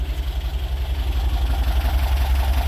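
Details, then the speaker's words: Porsche 914, idle about 800 rpm. Even, low idle with a steady pulse and no misses or knocks; runs like a champ, normal idle. "Yes, should be good. All right, I think the owner's going to be happy with that. Runs like a champ."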